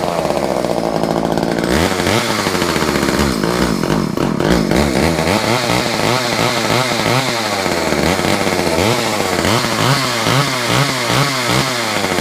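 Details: Chainsaw runs after being teased into starting with a little choke: small two-stroke buzzing with uneven, hunting revs and a rough note; oil running through, it just wants a service.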